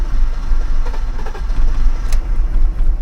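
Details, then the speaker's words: Newly acquired six-cylinder car with a leaking rocker cover, first start: rough, uneven idle with irregular stumbling pulses, running on only two or three cylinders before it stalls; owner suspects the ignition coils. "Oh, elle tourne sur 2 cylindres ou 3 là. Ah, clairement, elle tourne pas tout... Bon, bah la calée. Elle tourne pas sur ses 6 cylindres, fait chier."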